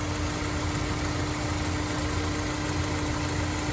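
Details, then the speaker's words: Honda S2000 after maintenance including injector cleaning, warm idle: steady, even engine hum with no misses, stumbles or ticking; smooth and healthy, ready to go. "sounds nice and smooth we call him this one is ready to go"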